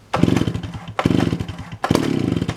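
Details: Chainsaw bought in 1982, not started in a while: three quick bursts of rapid two-stroke popping with short pauses between; the old saw catches and fires readily on the pull.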